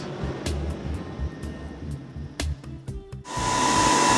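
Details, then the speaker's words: HP ProLiant DL180 G6 rack-mount server: after some clicks, a loud steady rushing roar with a faint high tone as cooling fans run flat out; unbearably loud. "No, that in fact is the sound of my HP Proliant DL180 G6 rack-mountable server that I've had in the lab for some time now. And as you can hear, the racket it produces is unbearable."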